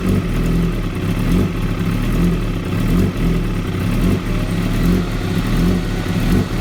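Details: 2016 Kawasaki ZX-10R: uneven idle with a lumpy, stumbling beat and small dips in speed, never steady; very rough idle, cause unknown.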